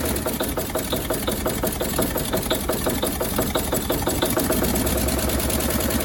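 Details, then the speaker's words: 1957 Chevrolet Bel Air sat 30 years, running on gravity-fed fuel: steady running with sharp regular ticking puff at each firing pulse; exhaust leak, donut gasket looks trashed or leaking. "we'll get this exhaust leak fixed down here looks like that donut is just trashed or it's leaking right there"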